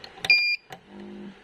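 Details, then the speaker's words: V-Guard Big Jadoo 1050 inverter running on battery backup: short high beep then low steady transformer hum as it goes into overload; technician suspects a gate/MOSFET drive stage fault, checking MOSFETs in diode mode. "ठीक है humming न आ रहा है फिर overload में जा रहा है आपका हमिंग नज आ रहा है तो मतलब गेट में कुछ प्रॉब्लम होगा"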